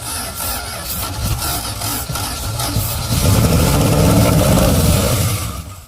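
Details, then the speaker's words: Abandoned farm-field truck V8 with points distributor, no driveshaft, fired up: catches and revs up cleanly like a buzzsaw, pitch rising and falling smoothly with no misses or knocks; runs perfectly. "Did it sound good to you? Oh, yeah. Did you hear it rev up like, Yeah. like a buzzsaw? Uh-huh. No, it runs perfectly."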